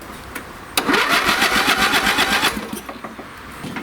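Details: Free old lawn tractor engine, late 1980s–1990s, on a smaller substitute battery: starter spins it at about four even beats a second for under two seconds but it never fires. Carburetor gummed up with stale fuel smelling of turpentine.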